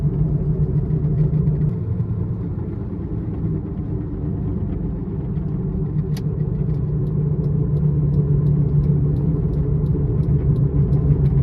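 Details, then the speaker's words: Saturn Vue on a test drive: loud low droning growl with slow wah-wah pulsing following road speed, a badly worn front wheel bearing. "It's most likely coming from the front, and I'm going to just take this on a test drive and show you guys what it sounds like. So now you can hear that wah wah wah wah. It's really loud, really bad."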